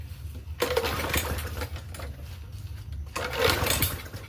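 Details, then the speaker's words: Free Murray push mower with a 4.5hp Briggs & Stratton engine. Two sharp pops and kicks on the rope pulls, and it never catches; backfiring on pull start. Sheared flywheel key suspected, not confirmed. "Ooh, back. Ooh. Sheer flywheel key? It only backfires as a sheer flywheel key."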